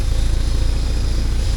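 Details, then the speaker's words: 1979 Porsche 924 running after its fuel tank was deep cleaned: even, rapid low thumping idle, no misses; owner notes a slight pop picked up at the rear, maybe sorting itself out; normal idle. "Yeah, now it seems to have running all right, but it's picked up, you can hear it at the back there, it picked up a bit of a pop."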